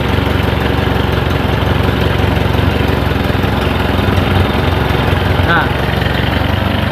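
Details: Toyota Kijang 12R engine idling during timing light check: steady, even low idle, smooth regular beat, no misses or knocks; ignition timing measured at 12 degrees BTDC, within specification.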